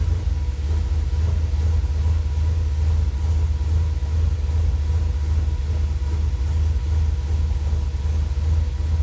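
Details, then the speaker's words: Dodge truck with Holley Sniper EFI, warmed up: deep idle rumble swells and sags about twice a second; IAC surging since day one despite ferrite chokes, rerouted wiring, checked grounds and cleaned plugs; cause unknown. "thing's crazy i don't understand what it's what it could possibly be doing i've moved all the wiring disconnected everything checked all of my grounds checked everything i have no idea what the issue with it is"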